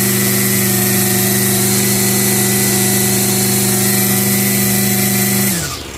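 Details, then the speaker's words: Revived curbside Craftsman 25cc two-stroke trimmer with a new fuel return line, revved: held at a steady high buzz, then switched off and winding down; runs fine, though the owner notes a split-second bog and that the high idle could be adjusted. "So, it seems to be running okay. I mean, yeah, it kind of bogs for a split second."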